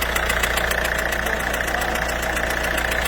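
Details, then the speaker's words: Citroën Berlingo PSA 1.6 DV6 HDi diesel at idle, carbon rising at cylinder 1 (gearbox side): fast, fairly even puffing tick over the clatter, compression blowing back past a failed injector flame seal. "Donc là on entend bien le retour de pression. En fait ce qui se passe tout simplement c'est qu'il y a une faille au niveau du joint par flamme."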